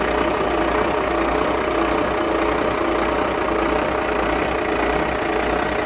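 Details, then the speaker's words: Carver 466 boat, starboard Cummins 6CTA 480ce 8.3 L diesel, in the engine room after an injector replacement; steady, even idle with constant mechanical clatter and no misses or stumbles; sounds great, running smoothly. "that sounds good I don't even look I can hear it sounds great"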